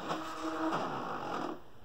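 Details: SteppIR 3-element original Fluidmotion controller, after repair for possible lightning damage with the driven-element stepper driver replaced. Reflector test gives a steady buzzy stepping whine for about 1.5 s, then a clean stop; the stepper drives normally.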